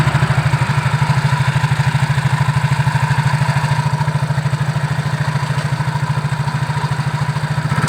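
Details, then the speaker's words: Yamaha Mio GT CVT after repair, previously rough-sounding and the scooter would not move though the engine ran: steady even low putter at idle with no belt-drive rattle or scraping, now engaging properly; normal CVT running. "oke mas Bro sekarang sudah bisa berputar dengan sempurnakan sudah bisa menggigit dengan sempurna ya karena memang yang rusak-rusak tadi sudah kita benarkan ya"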